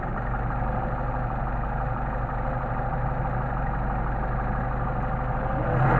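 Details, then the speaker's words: Solex 44PHH carburetors on a 190SL, idling low at about 800-900 rpm with no load. Turning the idle mixture screw in gives an uneven, stumbling rolling misfire: already too lean. The fix is to back the screw out about 1/8 turn. "And you can hear there's get that rolling misfire, so we're already too lean."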